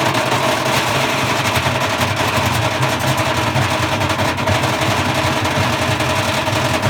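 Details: Bosch Classic 6 1200 Express washing machine hot-wired straight to the motor, top ballast removed, objects inside: loud irregular banging and rattling over the motor as the loose drum thrashes; drum spider broken apart.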